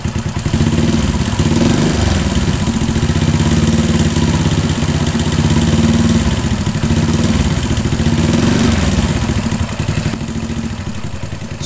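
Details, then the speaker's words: Honda Astrea Grand single idling with a rough, rhythmic ticking over the exhaust beat. Cause is valve clearance set too loose, not the cam chain. "kasar yang berirama seperti ini ini disebabkan karena setelan klep itu terlalu longgar ya ini setelan buatnya yang terlalu longgar bukan disebabkan dari bunyi rantai keteng atau rantai api tapi lebih ke setelan klep yang longgar"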